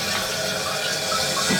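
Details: Toilet after fitting a new Fluidmaster fill valve and flapper kit, first water test: a steady hissing rush of water refills the tank with no squeal or chatter; fill valve working normally.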